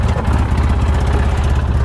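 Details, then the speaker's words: Polaris Ranger that was getting harder to start, after replacing a 200-cranking-amp battery with a 385-cranking-amp one: fires up readily into a steady, even low chug with no misses. Charging reads 14.3 V. Normal idle. "boy I like the way that fires up nobody will get stranded now down the road"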